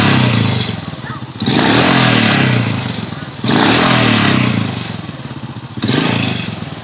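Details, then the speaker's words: Honda Supra Fit motorcycle, smooth at idle but blipped three times it gives a harsh, chirpy cricket-like rattle on each rev; cause suspected, not confirmed: engine rattle under throttle. "bunyi ricik-ricik jangkrik seperti jangkrik ya"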